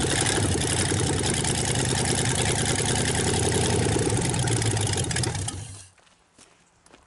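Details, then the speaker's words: 1954 Ford Y-block 239 V8, first start in 20+ years, loud exhaust: lumpy but even idle beat, very little smoke, no knocking, no lifter tick; healthy normal idle. "Very little smoke. No knocking. I don't hear no lifters tapping. I know the exhaust is loud, but at idle, you know, if they was ticking, you'd be able to hear it."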